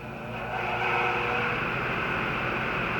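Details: Heat pump with a newly installed EasyStart kit, running from a gas inverter generator: a steady hum swells over the first second, then holds even above the generator's drone, with 12.8 A inrush and 7.9 A running, showing a normal compressor soft start.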